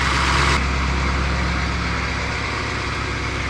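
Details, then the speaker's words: Truck camper diesel after bleeding air from the fuel filters via the bleeder screw, filter housing bypassed: steady low diesel clatter at an even idle with no hunting or stumbling; no fuel leaking, idling healthy. "Seems good. No fuel leaking."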